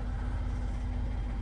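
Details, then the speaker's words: 2018 Ford Expedition MAX 3.5L EcoBoost V6 with Whipple EcoBeast upgrade (~500 hp), warm idle after five minutes before oil change: smooth, even low rumble, no cold-start cam phaser rattle; owner suspects oil drains to pan overnight. "so that's what i'm gonna do now is start it and run it for five minutes and as you can hear the engine's warmed up and it doesn't rattle anymore"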